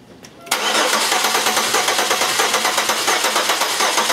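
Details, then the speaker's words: GM 3100 V6 cranking with injectors unplugged and ignition active for a relative compression test using starter current: quick steady cranking chug with one weak stroke each cycle, battery getting weak; cylinder number two has no compression. "so you can see that cylinder number two has no compression"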